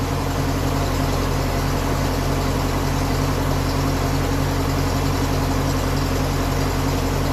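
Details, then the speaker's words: 1957 Ferguson 35 TVO tractor idling after the exhaust sleeve leak was fixed: a steady, even low thrum at about four beats a second with no puffing, ticking or misses. It sounds nice, like a TVO. "why be happy enough with that now definitely sounds nice you heard that coming that kind of a nice com up the road"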